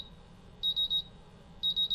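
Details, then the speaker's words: MultiRAE gas detector bump test: shrill high beeps in groups of three about once a second as the CO and H2S sensors enter low alarm; LEDs, buzzer and vibration all working. "So now the CO sensor is in a low alarm and the H2S sensor is in a low alarm."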